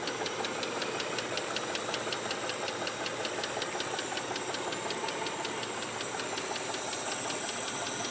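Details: Mitsubishi 3000GT at a steady idle with a sharp, even tick about 160 per minute. The noise appeared after less than 60 miles of driving. Possibly rod knock, hopefully lifter tick; cause unconfirmed.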